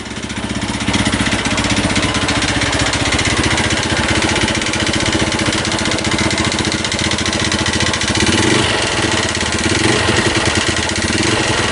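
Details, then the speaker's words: Honda New Megapro carbureted single-cylinder, previously bored up with 61 mm KLX piston, overheated: loud busy metallic rattle over the idle beat; bore and piston damaged, awaiting BRT 200 cc kit. "Suaranya sangat tidak asik sekali ya, ini sangat menggeletek ya. Suara yang sangat mengiris hati ya."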